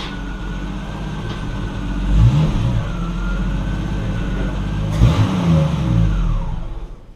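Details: 1974 Triumph TR6 that backfired at startup and shutdown, smoked and ran sluggish, after timing set and carburetors adjusted, on a test drive: revs climb and settle smoothly, no pops on lift-off, significantly more power; normal running, no backfire.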